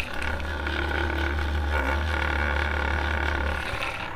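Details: Abnormal running noise from a 12V DC brushless cooling fan: steady low hum with a faint uneven buzz while spinning; problem suspected in the coil, cause unclear.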